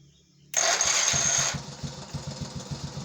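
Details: Honda Astrea Grand electric start after replacing the faulty starter bendix: one-second starter whir, then the engine catches and settles into an even putter; starting works cleanly.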